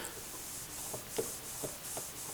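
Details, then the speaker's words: Old wheel bearing from the daily-driver car, hand-rotated in a vise after removal, still tight: faint dry rubbing with soft irregular clicks, causing a low whomping noise in the cabin that increased with speed. "hear that just that little bit of clicking inside is what is causing that that worrying or Whomping sound in the cabin so that's the problem we're experiencing with the old bearing"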